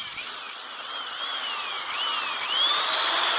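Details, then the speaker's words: Old corded Milwaukee drill after cleaning and lubrication for noisy bearings; smooth whine as speed varies, no grinding or rattle, torquey motor running normally. "But that sounds much better. Nice torquey motor."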